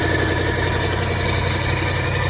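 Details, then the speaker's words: 1985 Chevy C20 truck, carbureted V8 with new muffler, cold: smooth, even low rumble at raised choke idle, no knocks or misses, quiet exhaust; sounds good. "Sounds like it's up on high. Oh, that's good. Yeah, it probably does. Oh, that thing sounds good, dude."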